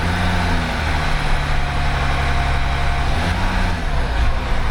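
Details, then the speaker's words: 2008 Land Rover Discovery 3 TDV6 under rebuild: held at a steady 1100–1200 rpm, and also when coming slowly off the throttle, the engine note sags and climbs every couple of seconds, an idle surge. "It's always when it drops below 1200 RPM and when I hold it at 1200 or at 1100 it does that."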